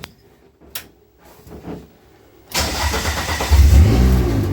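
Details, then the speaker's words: Dodge Neon stock car that cranked but wouldn't start, after replacing a shorted cheap replacement sensor: it catches cleanly and settles into a steady, even idle with a strong low rumble. Normal start and idle. "Our dead car is a living car again, and we can carry on and get back to the racetrack."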